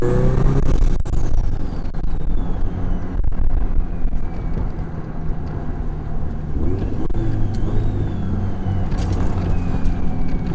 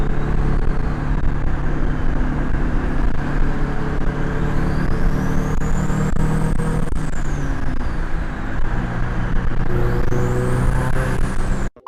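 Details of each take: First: Turbo FR-S, GTX3076, CX Racing header, Turbosmart 38mm wastegate, eBay intercooler with shortened piping, in-car hard pull: engine roar with rising turbo whistle over deep exhaust drone; overboost about 13 psi (previously 16), wastegate adjusted afterward. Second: Turbo Scion FR-S with GTX3076 turbo, CX Racing header, Turbosmart 38mm wastegate, eBay intercooler, on the road after wastegate adjustment to about 12 psi boost (was 16): strong pulls with rising turbo whistle; normal turbo acceleration.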